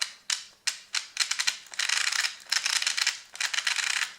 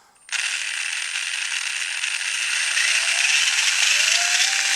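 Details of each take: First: Brand-new Tamiya TBLM-02S 15.5-turn brushless motor with a TBLE-02S ESC in a Comical Frog WR-02CB, correct pinion fitted: sharp, uneven dry clicking at low throttle; it sounds fine at high RPM, and the owner is unsure whether it is normal or a defect. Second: Brand-new Tamiya TBLM-02S 15.5-turn brushless motor with a TBLE-02S ESC in a Comical Frog WR-02CB, correct pinion fitted: steady high-pitched whir with gear hiss at higher RPM; it sounds smooth and normal there, unlike the odd noises at low speed.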